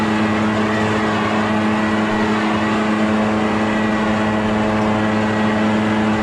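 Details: Echo PB650 two-stroke backpack blower, barn find unused about 5+ years, running on fresh gas while clearing a roof and gutters: steady, high, unwavering drone at even speed throughout, no surging; healthy running under load.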